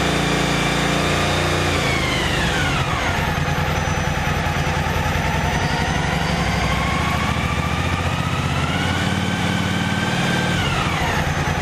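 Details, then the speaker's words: Yamaha T-Max: a thin whistle over the engine climbs in pitch as revs rise and falls back; idle voltage 13.4 V, peaking 15.1 V revved: whining fuel pump, cause not yet confirmed. "Mas este barulho da bomba está me chamando a atenção. Conforme você dá giro no motor, esse barulho aumenta um pouco. Algumas motos fazem isso, é bem verdade."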